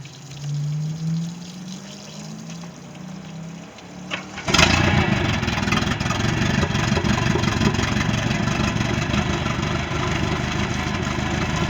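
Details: Boat engine (Monterey) after no-start repair: brief cranking with a rising whir, fires at once and settles into a steady, even run with no stumbling; normal running.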